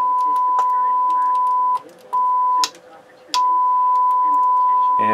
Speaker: so i got it back together and i'm feeding tones through it it's working good